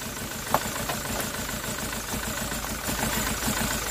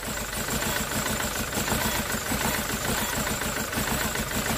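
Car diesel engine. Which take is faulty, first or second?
first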